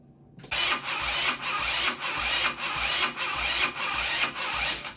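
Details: Blade 150 / RZR170-clone UTV, 150cc GY6 shortcase engine, previously seized, being revived with oil added: starter churns in even pulses, about five compressions in four seconds, never catches; cranks but won't start, cause not confirmed.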